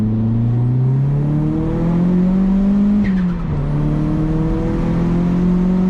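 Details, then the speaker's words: Turbocharged 240 on a drive, being checked for leaks; oil temps good, intercooler pipes re-welded. Engine pulls smoothly up through the revs, dips on the shift and climbs again with a clean, even note; the owner loves the turbo noises. "love the turbo noises that it makes. I don't know if you guys can hear it, but it's just amazing."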